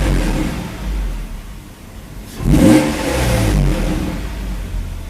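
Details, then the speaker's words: Mercedes 190E 5-speed manual with swapped 3.2L M104, after rewiring main power, the oxygen sensor, the camshaft advance solenoid and the HFM-ISC CAN line, starts first try, idles smoothly and revs cleanly with no knocks or misses; normal. "starts right up first fry very nice sounds good to me"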